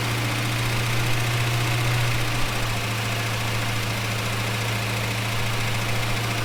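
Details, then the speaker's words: Holden HK, freshly rebuilt engine just installed, first run: steady low idle hum with a slight uneven throb and no knocking; runs fine so far, though a welsh plug leaks on one side. "Well, she ran. Well, she ran. So far, pretty good."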